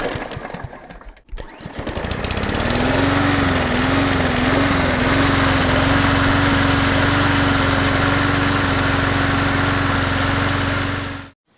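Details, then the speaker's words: First-edition DR all-terrain brush mower whose blades won't engage: the small petrol engine fires right up and runs at a steady, even speed with no misses. The engine itself runs normally. "This mower fires right up and it runs great."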